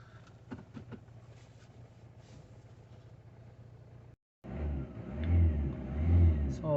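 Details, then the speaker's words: 2018 Citroen Berlingo 1.6 BlueHDi diesel, 35,000 miles, non-starter after DPF fault and six months sitting: after clearing codes it starts, quiet idle then revs up and settles smoothly with no knocks or rattles; normal running. "the engine actually sounds very nice running perfectly"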